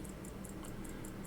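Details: Pocket watch returned after repair, misbehaving and suspected of overbanking: crisp, loud, regular ticks about five per second; roller to be checked, cause unconfirmed.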